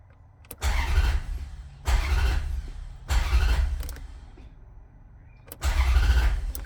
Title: Hard starting 4200